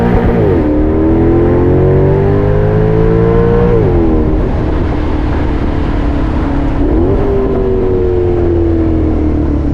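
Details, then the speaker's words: Maserati GranTurismo, engine warm: deep exhaust note climbs smoothly in pitch through two hard pulls and drops cleanly between them, strong and even; healthy engine despite the car's other issues (brake squeal, suspension). "that is why you buy a Maserati Grand Turismo it makes all the problems that the car is experiencing pretty much just nonexistent cuz that's all you need to listen to"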